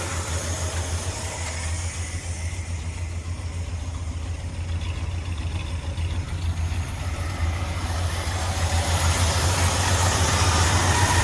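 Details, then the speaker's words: 1977 Ford F250 Custom Highboy, carbureted V8, high idle fixed by addressing the choke return spring, no longer smoking: deep even burble at low steady idle, no stumble or miss; normal idle. "Just a wee bit lower. You may need to tune it though."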